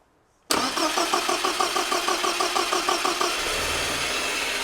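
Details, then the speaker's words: 1975 Land Rover Series 3, parked 15 years, freshly rebuilt engine after oil pressure built and fuel system primed: starter cranks with even chug about three beats a second, healthy cranking, not yet caught. "Okay, stop. Whoa, push it again. When the engine starts, stop pushing, okay?"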